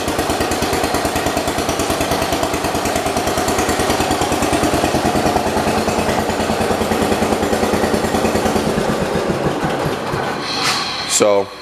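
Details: 1977 John Deere 212 riding mower, a single-cylinder with a newly replaced carburetor after a runaway, thumping at a steady fast beat, even and unbroken until shut off; runs healthy.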